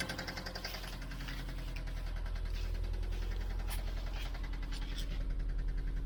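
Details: 2004 Subaru WRX, 153k miles, total-loss title: steady deep knock about two and a half beats per second through the idle, sounding like rod knock.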